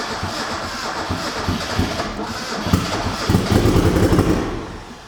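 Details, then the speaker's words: Rebuilt high-compression turbo Miata engine, first crank after head work: uneven lumpy cranking catching into a stumbling loping run; doesn't sound like compression on all four cylinders. "Why does it sound like that? Jesus, that doesn't sound great. Doesn't sound like it's got compression on all four cylinders, to be honest."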